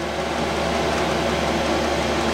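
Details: 5KW Chinese diesel air parking heater at 5.5 Hz maximum pump speed, 11.7 V on 12V lead-acid battery, 8'x14' shed, 25F outside, error code zero: steady even fan and burner whoosh with low hum, no surging or misfire; normal running.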